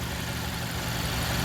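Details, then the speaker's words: 2015 Mazda CX-5 four-cylinder direct-injection engine at idle: steady idle with a light, even ticking under the hum. This is normal injector pulse noise. "you'll hear that tipping tapping sound. Uh basically, on these newer vehicles with the direct injection, you're hearing the pulse fire of the injectors. Um so, that's good."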